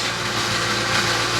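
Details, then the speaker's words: Porsche 986 Boxster with a V8 swap, warm at about 76–82°C with the thermostat not yet opening. A busy metallic rattle at idle eases with slight throttle. The owner suspects the water pump is running dry from an air pocket. "ce bruit est vraiment ennuyeux mais j'ai dit que lorsque je l'accélère un peu, il s'en va"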